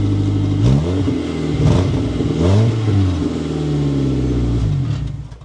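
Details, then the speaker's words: Cheap used car, exhaust leak later pinpointed at the muffler (replaced): loud, raspy blat swelling with each rev and dropping back, rough open exhaust note; exhaust leak before repair. "So one of the big issues that we have is the exhaust leak on it, because currently it sounds like this."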